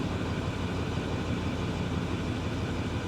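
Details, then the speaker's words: Roughly 2009 Ford F350 dual-rear-wheel with no check engine light lit. Idle has an uneven low chug of roughly three beats a second that clears, then returns, and is worse under load. Intermittent misfire; spark plug or coil pack suspected, unconfirmed. "Wait. No, it's coming back. So it's intermittent. All right, well. Yeah. Especially when you put a load on it, you can hear it and feel it."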